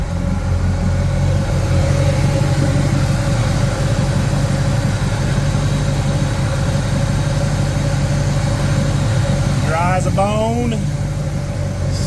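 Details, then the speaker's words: Vehicle at idle after a quick repair including PCV valve work: steady, even low rumble with no misses, knocks or hunting; smooth, healthy idle. "idle and smooth going to call that not too shabby uh yeah she sounds good she's running okay"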